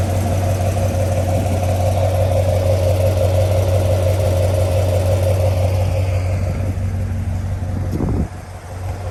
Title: Corvette C7 LT1 Ticking noise part2